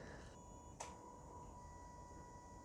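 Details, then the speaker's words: Toyota Yaris Hybrid throttle body during scan-tool active test: faint steady high buzz with small click as commanded wide open; normal pulse-width-controlled motor drive noise from duty cycle changes. "some people ask me why the throttle body makes this sound and that's because the throttle body is controlled by a pulse width so all you hear is the duty cycle increasing or decreasing"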